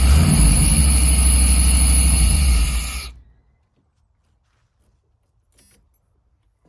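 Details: 1990s Chevy 350 5.7 V8 campervan after replacing fouled spark plugs and cleaning ground wires: deep, even rumble for about three seconds before shutoff, no misfire or stumble; owner thinks it idles too hot, may adjust timing.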